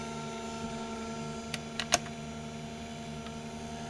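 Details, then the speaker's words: Slot car motor bench run at 3 volts with no pressure applied, belt drive via idler to split pulley: steady, even motor hum with faint belt whir and light ticks, drawing about 2.5–2.75 amps; spinning freely and healthy. "So we can see that just running free, it's pulling about 2.5, 2 3/4 amps at 3 volts."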